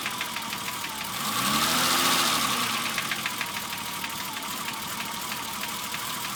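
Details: BMW E30 engine at idle with a brief rev: regular tapping about three per second rising and falling with rpm; three shops could not identify it, owner wonders about rod knock, piston slap or bearings before dropping in a new engine.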